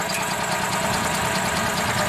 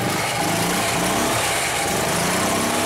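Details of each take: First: 2004 EZ-GO gasoline golf cart that quit after driving through a deep puddle: steady, even cranking drone that never catches or fires; crank no-start from a very weak spark at the coil. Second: 2004 EZ-GO gasoline golf cart after fixing its faulty switch and removing extra boards, with no parts replaced. The single-cylinder engine starts with a little choke and runs with a steady, even putter, rising smoothly on revs; normal running.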